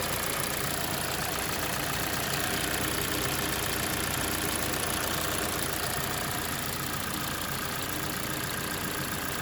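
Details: 2021 Kia Sportage 2.0, hot engine at idle: light uneven tick from right side of engine, about two per second, fading in and out; dealer says likely purge/canister valve opening, unconfirmed.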